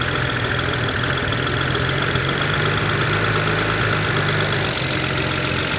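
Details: 2007 BMW with N54 engine, first start after installing new index 12 injectors, car had sat a while; steady rough idle with light fast ticking, owner suspects lifter tick until oil pressure builds and feels a slight misfire.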